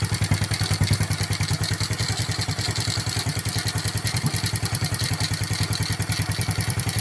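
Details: Honda Karisma 125 single after failed 150 bore-up returned to standard bore with new piston and valves adjusted: steady, evenly spaced beats, no piston knocking or slapping; a clean, even idle.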